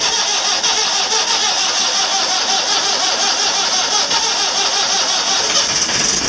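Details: 1984/85 Marine Perkins 4.236 diesel after three months in salt water, first try failed; with start gas, hissy buzzing cranking builds into ragged rhythm as it struggles then catches. Hard starting.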